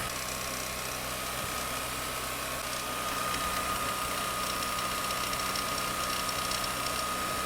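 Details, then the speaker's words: BMW R 1300 GS boxer motorcycle, about 10,000 km: left cylinder at steady 4,000 rpm; rattly regular ticking clatter with thin tone, only on left side, owner suspects ShiftCam adjustment or excessive play, unconfirmed; top-end clatter. "peut-être que le jeu est trop important mais pourquoi seulement à gauche 4000 tours et ça ballote ça"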